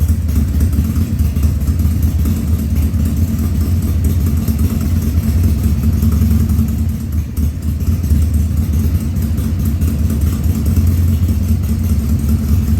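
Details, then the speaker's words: 2000 Harley-Davidson 1200 Sportster 1200 V-twin on its first start after a carb rebuild and leak fixes, air cleaner off: a loud, lumpy idle with uneven low thumps and slight stumbles, coughing because it runs slightly lean. "So yeah, I don't have the air cleaner on it or anything. That's why you see it coughing a little bit, because it's actually running a little bit lean."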